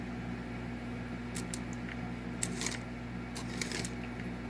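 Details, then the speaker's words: Restored Marx 999 locomotive motor, rust cleaned and oiled, track test under six volts: steady even motor hum with light gear whir and track clicks, running fast; normal running, low power draw. "That's literally all it's taking. And it's flying."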